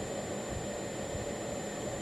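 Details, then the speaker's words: CB radio receive audio after replacing the meter PC board to fix a whine: only a soft, even hiss with a faint steady hum and no high-pitched whine; receiver audio now clean. "so you don't hear anything I don't hear any whine on receive"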